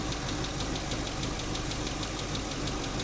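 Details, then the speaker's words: 2015 Chevy Camaro SS 2SS convertible, just started and idling with about 60 psi oil pressure and 14.5 V charging: a light, quick tick of about three per second over the V8 rumble. The owner suspects a stuck or unpumped lifter. "I'm sure this thing is, you know, it's got a stuck lifter or a lifter that's not pumped up or something."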